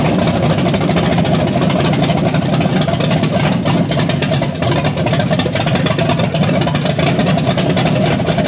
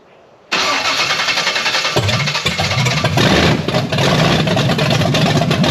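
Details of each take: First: Blueprint 540 big-block Chevy in a C10, 870 cfm Holley Street Avenger, initial timing set to about 14 degrees: loud steady even idle through open headers, no misses or knocks; normal idle. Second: Blueprint 540 big block Chevy in a C10 with open headers, Holley 870 Street Avenger carb, second attempt at setup; cranks, then stumbles and coughs unevenly, never catching clean; hard starting, timing suspected to be way out.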